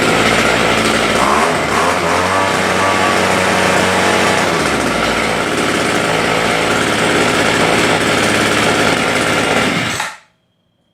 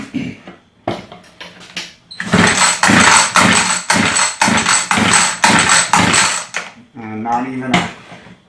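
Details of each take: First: Homelite two-stroke rototiller after fixing a no-start where the primer bulb wouldn't fill: busy high-pitched buzz holding steady with a rapid even beat for ten seconds, then cutting off; the engine runs cleanly. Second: Homelite two-stroke rototiller, customer says it won't start: repeated pull-cord rasps about twice a second with no firing or puff; choke working, air filter out, primer bulb not filling; fuel starvation traced to a torn fuel line.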